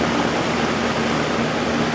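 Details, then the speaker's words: Early-80s Sears box fan with plastic Marco motor, after oiling a seized motor, on high speed drawing about 2 amps: a smooth, even airy rush, the motor unusually quiet with no hum, rattle or bearing noise; it runs normally. "wow this thing doesn't make any that motor doesn't make any noise at all usually these have a cool sound that they make"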